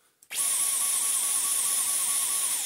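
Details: Dyson V11 cordless vacuum on eco/medium: a high steady whine with a hum underneath that dips about four times a second and never reaches full speed, while boost runs fine. Faulty main motor unit needs replacing.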